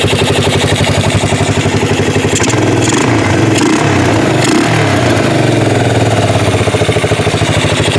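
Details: 1988 Yamaha Moto 4 ATV rescued from a field, running again and a little smoky. Single-cylinder putters at a quick, even beat and picks up cleanly on a throttle blip; owner judges it a little lean but sounding good. Normal running.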